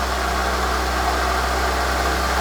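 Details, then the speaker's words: VW T4 diesel van left in a barn 7–10 years, first start: even idle with a faint steady whir over the clatter; water pump is the probable source after standing. "can hear the water pump is not too pretty, if I'm honest. You can hear that whirring away. But to be expected if it's sat there for that long."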